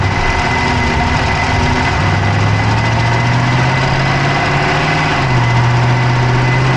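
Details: Dodge Charger Hemi V8 at idle, camera (Insta360 Go3) inside the engine bay on the passenger side: steady idle with a fast light ticking over a low drone; top-end tick of unknown source.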